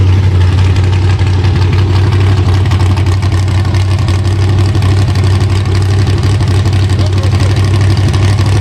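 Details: LS-swapped (5.3) Chevy Vega on a cold day, started with a little gas: deep, lumpy V8 burble with a slightly uneven beat; the same initial stumble persists, though somewhat better.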